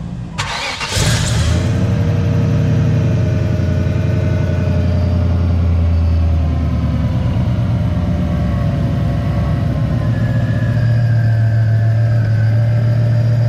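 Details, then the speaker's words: Car's first startup after new spark plugs and fuel filter check, aimed at sudden hesitation; brief crank, catches cleanly, settles to steady even low idle, no ticking, puffing or misses; normal startup and idle. "now the first little startup we just want to make sure everything is copacetic"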